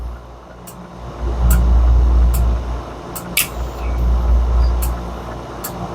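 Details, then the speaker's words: FBD Slurpee machine with two barrels down, during repair with beater running to circulate CO2 through the barrel before freeze-down: steady beater motor hum with evenly spaced clicks each second as CO2 solenoid opens and closes; normal cycling. "You can hear it shutting on and shutting off. You can see the CO2 opening and closing."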